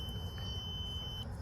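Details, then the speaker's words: BMW X5 with Comfort Access door lock and gas cap issues: a multimeter continuity test on a good fuse, possibly 20 A, gives a steady high beep of about a second, showing it is intact. The 15 A fuse #28 gives no beep and is blown. "so see no beep no beep and this is 15 so let's try a good one that's 20 amps maybe see hear that"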